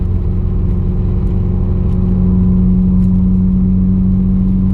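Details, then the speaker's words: 2020 Subaru WRX, 3rd gear wide-open-throttle pull: hard pull with rough, uneven stumble breaking up the exhaust drone; cylinder 1 (and 4) misfire under load, no check engine light or codes; owner ordered new coil packs and NGK plugs, re-tune pending. "Yeah, something's not right. I'm gonna have to jack up the car. I don't like this sound. I threw a 1 on cylinder 1 again."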